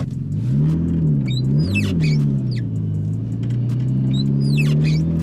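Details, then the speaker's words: Nissan R34 Skyline (RB25 Neo) road test in rain after fitting Audi R8 coil packs for a full-boost misfire: high chirping squeaks with each wiper pass over low engine rumble, from worn wiper blades needing replacement. "about the squeaky wipers guys they do need replacing they're not the best but they'll be fine for what we need"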